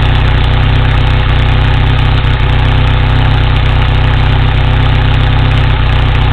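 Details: 1987 Toyota 4Runner 22RE engine: loud, deep idle thrumming steadily with occasional uneven, loping beats; idling a little rough, misfire suspected but not confirmed.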